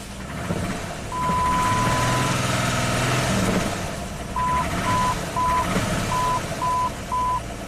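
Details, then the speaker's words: 2002 Jeep Grand Cherokee 4.0L inline-6 after crank no-start and engine rebuild, just restarted with cam signal restored: irregular stumble under an intermittent chime; suspected misfire, possibly a fouled plug. "Sounds like it has a misfire. Will it clean up? goes. Must have been a foul plug."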